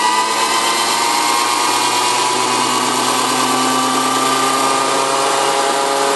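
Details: 1981 VW diesel pickup jumped from a Chevy diesel with 2000-amp batteries, four-month-old Napa starter: steady cranking drone that never catches. Afterwards the solenoid is cold and the starter shaft end maybe slightly warm. Cause unknown.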